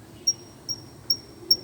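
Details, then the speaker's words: Jeep Compass rear wheel with electric brake caliper: four sharp, high cricket-like chirps about 2.5 per second from the rear brake pad retaining clip; fixed by spraying grease on the clip. "entendeu então se você tá com esse barulho aí na traseira aí vai trocar uma Peça à toa não essa chapinha aqui ó entendeu"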